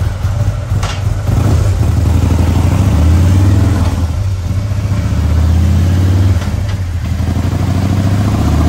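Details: 2020 Harley-Davidson Road Glide, fresh 130-inch T-Man Performance stage four engine on a dyno pull after warm-up (result about 155 ft-lb torque, almost 153 hp): loud, deep V-twin pulling hard and evenly, no knocks or misses; healthy engine under load.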